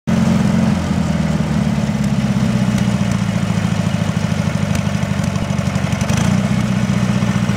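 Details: Briggs & Stratton 18HP twin on a Wheel Horse Work Horse GT-1642: lumpy, uneven low thump at idle that wavers in rhythm; rough idle, cause not evident.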